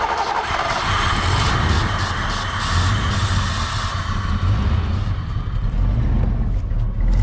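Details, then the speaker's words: 1986 Mustang GT 5.0 V8, sat 20 years, running after distributor PIP sensor fix: low, even idle rumble, quiet with no ticks or knocks. "She's alive. Look at that. Actually idling now. All right. Not a single tick out of the motor, man. Oh, listen how quiet that sounds."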